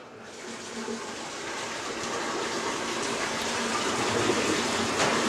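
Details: New Hobart corner dish machine switched off with the drain lever flipped up: rising, steady rush of water pouring out with no gurgling stalls or pump strain; the tank is draining normally.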